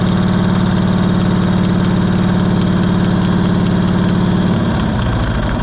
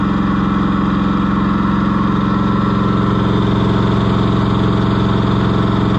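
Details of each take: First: Cushman Truckster auction find being revived: fast steady chugging for a few seconds, then stumbling and sagging until it won't keep running. Owner suspects it isn't getting enough fuel, possibly a plugged filter or air in the line, and may need a new carburetor. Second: Cushman Truckster auction find, small engine idling after getting it running: even, steady, regular beat with no misses or stumbles, running better than before. Normal idle.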